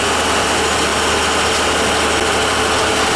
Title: KITCHEN FAUCET MAKING ODD VIBRATION NOISE